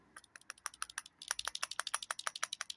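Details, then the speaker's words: Simca Aronde clutch relined for judder: a very old clutch release bearing, off the car and shaken by hand, gives quick light metallic clicks about seven a second, a worn rattling bearing, to be greased. "this is the release bearing it says in the book that these don't need lubricating but this is very old"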